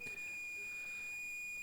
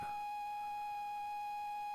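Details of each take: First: Unknown cassette tape thought to be ZX Spectrum, game Leapfrog: steady, unbroken high whistle with no Spectrum loading stripes, the lead-in carrier of a BBC Micro recording; definitely BBC Micro data. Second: ZX Spectrum cassette tape, unknown contents: a steady single-pitch loading tone holds about four seconds then cuts off, sounding dull, possibly from dirt on the tape; muffled loading tone.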